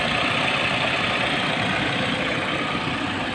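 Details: Mitsubishi Adventure after MAF sensor replacement, done for hard starting and a check engine light: steady, even idle with a smooth hum and no misses, stumbles or hunting.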